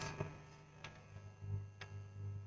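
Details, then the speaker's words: Powered PC subwoofer with a steady low hum swelling in and out and a few sharp clicks from the power circuit; a bad filter capacitor (3,300 µF) was found. "sound, but we have a noise. This noise is from the power circuit."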